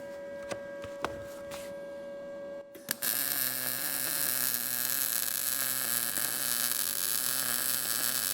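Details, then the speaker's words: Arccaptain MIG200 inverter MIG welder, horizontal-position corner joint, torch about 45° into the corner and 35° toward travel: steady bacon-frying crackle, little spatter, heat and amperage well matched though could go hotter; normal MIG arc. "well the ark is nice and uh the weld is nice there's not really very much spatter I think that the the uh the Heat and the amperage are good together because you've got that bacon frying sound"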